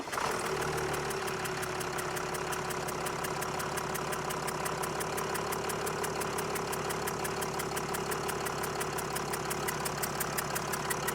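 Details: 302,000-mile Mercedes W211 E320 CDI diesel (OM648), fired up: engine catches then settles into fast sharp ticking over diesel clatter, steady at idle; tick worth checking, cause not confirmed.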